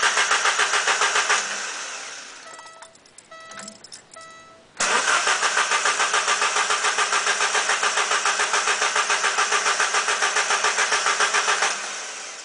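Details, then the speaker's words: 1989 Alfa Romeo Spider with new ignition wires and spark plugs, spark confirmed on all cylinders: starter cranks briskly at three to four beats per second but never catches; owner suspects fuel pump, fuse or fuel pump relay. "it might be a fuel issue now something with a fuel pump or maybe a fuse to the fuel pump relay or something like that but anyways I'm going go ahead and crank it here a few times for you"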